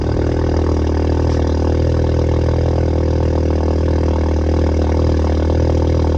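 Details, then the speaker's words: 2019 VW Jetta 1.4T after installing APR performance coil packs: smooth, even hum holding steady with no misses or idle issues, slight crack to the exhaust; running normally. "so it definitely has a crack to it nothing obnoxious though where it sounds like somebody's shooting an ak"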